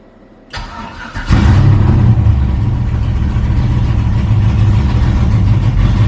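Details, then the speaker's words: Cheap LS-swapped Chevy S10 drag truck, cold start with no throttle: cranks, catches and settles into a loud, lumpy, choppy low idle; reads way rich until it warms up, with backfires and an exhaust leak present. "should be fluctuating yeah it's Way Rich right now but we'll let it get up to temperature"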